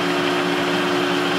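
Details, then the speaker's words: Adcock Shipley horizontal mill on its first run after an oil change (old oil full of metal and sludge), in low range: a steady, even gear hum with constant tones and no knocks or grinding. Normal running. "so considering all that's happening it's pretty quiet actually"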